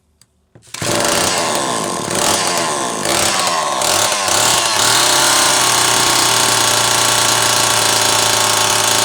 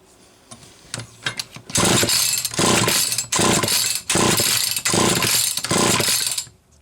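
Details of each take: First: Zama C2002 carburetor from a McCulloch Pro Mac 800, tested on a 54cc engine with different linkage and no idle screw, so it won't idle; needles turned in about half a turn; starts, then steady clean high buzz; running fine. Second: Zama C2002 carburetor from a McCulloch Pro Mac 800 chainsaw, shop-rebuilt, bench-tested on a test engine; it would not draw fuel despite aligned impulse hole, then catches with pops, screams in ragged surges and dies; cause unconfirmed.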